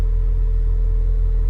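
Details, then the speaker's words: 2003 Mini Cooper S R53 idling after fuel pump and fuel filter replacement, started with a jump pack; even, steady low hum, constant tone, no stumbles or knocks. Idles smoothly, earlier misfire gone. "right there we go car started and he running [Music] smoothly I had a misfire before"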